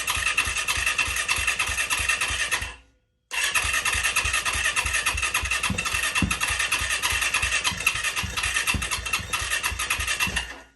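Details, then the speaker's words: Auction Yamaha YZ450F after new parts fitted, no throttle hooked up, owner suspects a sensor plugged in wrong: fires and rattles about three seconds, cuts out, restarts unevenly and fades; stalls after starting, not locked up. "doesn't love it I might have something backwards or but it did it ran for a second so I know it's not locked up"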